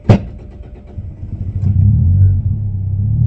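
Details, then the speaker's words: 1996 Toyota Corolla E10 cranks unevenly, then catches weakly with a lumpy, uneven rumble and slowly picks up; reluctant start and sputtering despite new spark plugs and leads, cause not identified. "Lads come here she doesn't want to start listen to this now"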